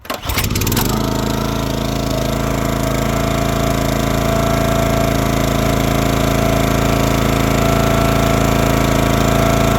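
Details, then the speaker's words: 2022 Oregon 3000 Series log splitter, 6.5HP Kohler single-cylinder with about 20 hours, after unplugging the low-oil sensor wire to bypass it: catches within a second and holds a steady, even drone, so it now runs normally. "but if I'm right it should fire up and stay running this"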